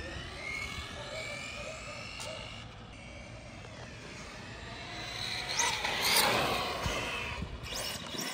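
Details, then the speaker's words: Traxxas Stampede 4x4 with a Castle 1512 2650kv motor and Sidewinder 8th ESC on 4S, trencher tires, under hard throttle. A high motor whine climbs and flares without matching pull because the slipper clutch is far too loose and slipping; it needs tightening. "all okay the slipper clutch is way too loose you hear that we gotta go tighten that"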